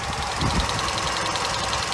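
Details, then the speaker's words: 1997 Chevrolet Cavalier convertible, Quad 4 engine: light quick even tap over steady idle that goes away when revved; owner thinks nothing internal or severe, at worst maybe a sticky lifter but doubts it. Ticking at idle. "You hear that little tap? It doesn't scare me too much because when you rev the engine up, it goes away."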